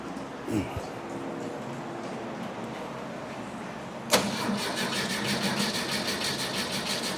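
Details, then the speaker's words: 1971 VW Bus that a shop couldn't fix, cranking possibly flooded: steady starter churn at about three beats a second with uneven catches; a timing light shows spark missing some revolutions; owner suspects a heat-related coil fault, though the coil reads 4.1 ohms, within range. "It's triggering. Inconsistently, though. It's not hitting every go around, and I can watch the like no spark right now."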